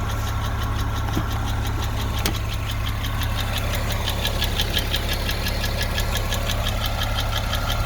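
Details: Porsche 986 Boxster 2.7 flat-six at idle with a recently developed quick, light, evenly spaced metallic ticking on top; cause unknown.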